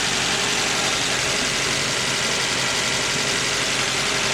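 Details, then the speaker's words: 1986 Toyota Sprinter Trueno AE86 GT-Apex, 4AG engine, 131,324 km, aftermarket air filter, catch tank, exhaust and plug wires; started without problem after apparently sitting long; even, crisp, loud idle, no knocks or misses; camera exaggerates high frequencies; normal idle. "people saying that the engines don't sound right this one sounds good to me it's got aftermarket air filter catch tank HIDs exhaust"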